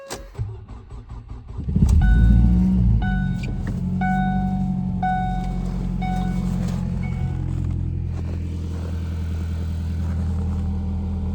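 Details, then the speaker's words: 2012 Ford Focus 5-speed, 3k miles after pulling the engine and transmission, cold start at 10 degrees: flare, then rough idle with a low buzzy clunky rumble and faint rattle felt in the car. Owner unsure, suspects dash vibration, sports exhaust or motor mounts. "So if you guys can hear it, kind of sounds a little clunkier. Or if it's like motor mounts or something bumping around up there, but you can definitely feel it."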